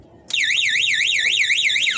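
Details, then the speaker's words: Motorcycle alarm fitted without relay, armed by remote, tripped by switching on the ignition: loud siren starts suddenly and warbles up and down about four times a second, so the bike can't be stolen. "ini berbunyi ya berarti tidak bisa di t tidak bisa diambil motor ini sama orang yang mau maling Ya jelas ya teman-teman"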